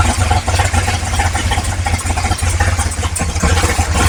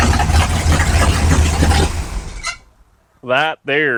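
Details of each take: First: 1955 Chevrolet big-block V8 on first start, with oil pressure: deep lumpy burble, one side much louder; exhaust cutout/muffler on one side seems closed, owner wonders if jammed or disconnected. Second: 1955 Chevrolet big-block V8, borrowed battery, about 32° timing, belt a little loose: strong steady rumble for a few seconds before cutting out, no knocks or rattles; normal running.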